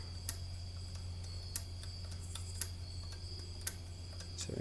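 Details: About 50-year-old R80-Z garage door operator, converted to 10-foot rail and full chain drive, limits maxed out: sharp, dry clicks about once a second over a low steady hum; contacts cleaned without help, owner suspects a mechanical relay fault, sticking.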